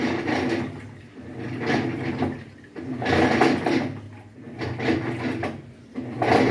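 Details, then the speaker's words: Haceb front-loading washing machine at minimum water level: after filling and starting the wash, a rough, gravelly grinding, like grinding stones, swells and fades about every 1.5 seconds as the drum turns. Cause not yet found. "Entonces la falla es que llena y empieza a lavar y suena como si estuviera moliendo piedras."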